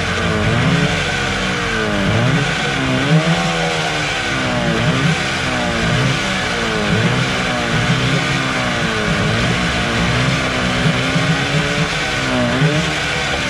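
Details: Suzuki 15 HP outboard that was hard to start, after its dirty carburetor was cleaned: revs up and settles back repeatedly, picking up cleanly each time with even firing and no misses; runs normally.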